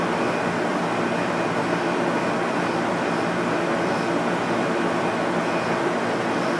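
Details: Free Craigslist air conditioner running after cleaning with soapy water: steady even blower rush with constant faint hum, no rattles or knocks; now working even better and seemingly up to spec.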